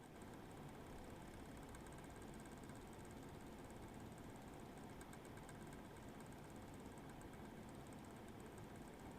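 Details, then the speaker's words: Eight-year-old MSI Radeon HD 7970 Twin Frozr III graphics card, one 75mm fan dead and the other failing, heard loaded after a cold start: rough, uneven fan whoosh surging and fluttering, separate from coil whine; irregular fan noise with coil whine. "you should be able to hear the irregular fan spinning separate from the coil wine"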